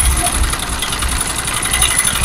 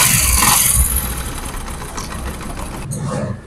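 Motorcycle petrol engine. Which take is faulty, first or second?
first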